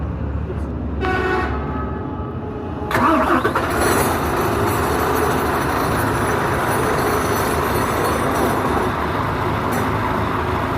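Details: Isuzu FEZ280 six-cylinder diesel after temperature clutch fan silicone oil repair: short crank, then catches and settles into a steady even run with strong fan rush and no knocks; normal start and idle.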